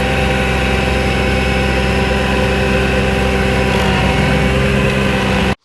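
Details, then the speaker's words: Vermeer SC1052 stump grinder cutting extremely wet ground: the engine drones loud at working speed, bogs slightly as it digs in, then the RPM comes back up; normal pull under heavy cutting. "We're grinding with the machine. You can hear it bogging a little. It's extremely wet ground, but you hear it bogging and then the RPM comes back up."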